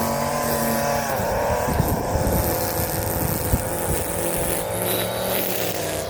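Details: Warm Stihl FS 56 RC trimmer, almost new, after it ran two tanks of 20:1 mix instead of 50:1 and had its muffler screen and spark plug cleaned: steady buzzy high-pitched run without misses or surging; sounds healthy.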